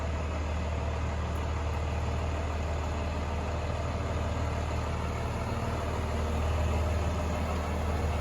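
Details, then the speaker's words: 1996 Chevrolet Suburban with Cummins diesel swap, cold start after wait-to-start light and relay clicks: low steady even clatter with slight haze of smoke, no misses or knocks; normal cold idle. "Since it is cold, it will smoke just a little bit of haze. You can kind of see in the shop there's a little bit of haze, but it's definitely not bad."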